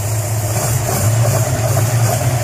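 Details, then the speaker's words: Valiant CL Charger Hemi 6 engine build, cold engine idling: steady low idle with even light valvetrain patter; cam running spot on, cam and lifters sound right. "so that cam there is running just [ __ ] how it should um touch wood again [ __ ] i don't want that [ __ ] ups but that's going that's [ __ ] spot on"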